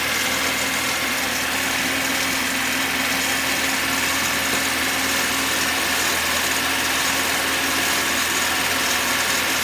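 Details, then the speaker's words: Cold VAZ (Lada) petrol engine just started on choke, idling with a steady light knock from the front, maybe from the top; owner suspects valve (fades when warm) or auxiliary shaft/oil pump drive on bearings; cause: auxiliary shaft pulley play. "Двигатель не прогрет, но вот сейчас этот стук явно слышен. Может быть клапан, потому что когда прогревается, вроде бы проходит. Но может быть и кабанчик, я покажу, в чем проблема."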